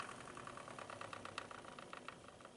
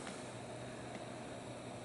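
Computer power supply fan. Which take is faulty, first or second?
first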